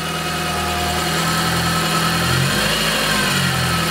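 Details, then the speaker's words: Peugeot 205 GTI freshly rebuilt engine, warm with 6 bar oil pressure, throttle held slightly open: even raised idle with a faint tinny rattle on top; a loose flat sheet-metal heat shield buzzing against its mount. "le bruit de tôle il vient de là là en fait c'est cette tôle qui on dirait bah moi elle est plate"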